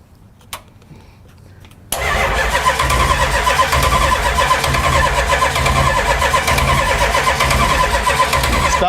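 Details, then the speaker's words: 1968 Dodge Charger first start attempt since 1983: steady starter cranking about four turns a second, never catches, carburetor float bowls dry while gas is poured down the vent tube. "trying to fill the float bowls of the carburetor by pouring gas down the vent tube"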